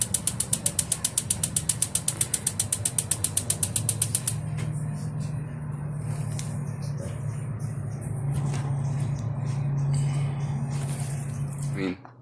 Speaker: basically what's going on i do have a spark and you can hear the spark uh lighting on we have the right water pressure